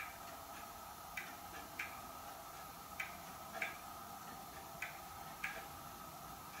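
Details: Hermle weight-driven grandfather clock movement on a homemade leveled test stand (F-350 rotor disc base), pendulum just fitted; crisp light ticks roughly every 0.6 seconds with a few gaps, quiet room, running healthily.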